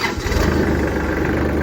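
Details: Kubota L3800 diesel tractor with 130 hours, after adjusting the HST hydrostatic transmission safety switch that had stopped it cranking (only a click before): the starter cranks briefly, then the engine catches cleanly and settles into a steady, even idle.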